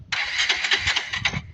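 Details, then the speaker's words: Kawasaki Rouser 220 motorcycle slow to start: starter whirs in a rapid chattering burst about 1.25 seconds then quits without catching; should start on one push even when cold. "Tapos hindi siya makuha ng isang push start, no? Dapat kahit malamig ang makina, isang push start lang dapat."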